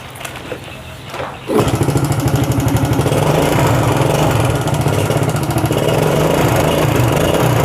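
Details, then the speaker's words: Yamaha Vega ZR after repair of a jumped cam chain that caused weak compression and no start: it catches after a brief quiet start, then settles into an even, steady single-cylinder beat without ticking or rattle. Normal running. "Previously I didn't know, but the important thing is that the condition of the motorbike is running and can run smoothly."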